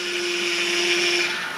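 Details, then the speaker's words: Mazda power steering pump failing: steady piercing whine with hissy edge, worse under pressure when turning the steering wheel and not going away; pump then replaced. "this is the noise of a bad power steering pump and you can definitely do it under pressure"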